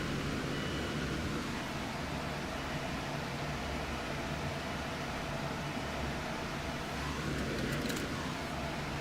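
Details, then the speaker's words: 2.34 L flex-fuel car with G30-770 turbo and Link G4x ECU, fuel tank low with ethanol temperature reading 46 °C: steady low hum and even hiss of the fuel pump running, though fuel pressure later still reads none. "The fuel pump is running. I hear it running."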